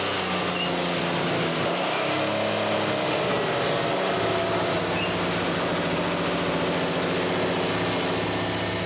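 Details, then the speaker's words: 1991 Toyota 4Runner restarted after nearly 10 years sitting, new fuel filter; engine catches and holds a steady, even fast idle outdoors, running normally; some smoke seen, apparently oil burning off the exhaust header. "all right so it runs"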